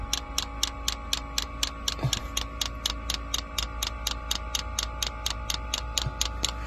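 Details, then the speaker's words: Diesel heater being installed in a school bus conversion, first start: crisp, evenly spaced ticks several a second over a quiet hum as the dosing fuel pump primes and fuel starts reaching it; normal. "there we go I can see some fuel getting into the fuel pump finally that'll help lubricate it and pull any air out of the system"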